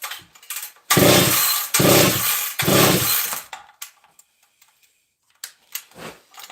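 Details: Husqvarna 268 XP chainsaw, decal-only saw, fuel tank nearly empty: three quick pull-cord cranks turn the engine over but it never catches or fires; owner suspects no gas. Won't start.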